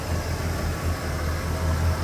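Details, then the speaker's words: 1975 Pontiac Grand LeMans V8, back on the road after 21 years, after replacing bad vacuum hoses: deep, steady smooth idle rumble with no shake or stumble; vibration gone. "I that is way better it's not vibrating oh yeah"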